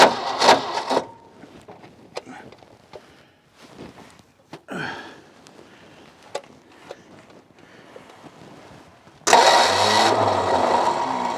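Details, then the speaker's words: Ford F600 ex-U-Haul truck, 359 FT V8 freed from seizure, first start after 20 years with choke engaged and not yet drawing fuel from the tank. Clicks while cranking, then it catches and runs steadily, muffled, with no clatter or knock; owner wonders about a fuel-line vacuum leak. "All right, you heard it. After 20 years, it took me all day. The video may be shorter than what it actually took me. Took me all day, but the motor's not stuck and the motor runs."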